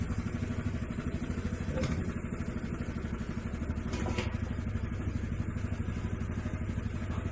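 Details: Honda Vario CBS scooter that made a clacking noise from the CVT under throttle, after the CVT was taken apart and repaired (clutch linings): even, steady pulse about three beats a second with no grinding or rattle; smooth.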